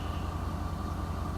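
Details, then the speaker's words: Ford 6.7L diesel, 14,605 miles, hot idle at 600 rpm: steady low rumble with quick regular clatter from the upper engine, with low oil pressure at startup; a single part is blamed. "okay so I shut off the engine now by the way it was engine rattling upper part just before shut it off"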